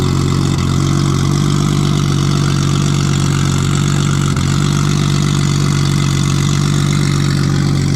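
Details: Nissan RB20 after cylinder 5 no-compression repair; the fault was a lifter letting the intake valve sit lower. Loud open-exhaust six settles into an even, steady idle with a smooth pulse, no miss, all cylinders firing. Normal idle and revving.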